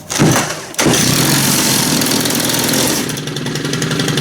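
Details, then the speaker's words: Serviced STIHL string trimmer (FS90R/FS111R) with automatic choke/fast idle, still a little cold: one short pull, catches at once, settles into a steady, raspy high fast idle. Normal start and idle. "So, but that seemed to fire right up. A little cold yet."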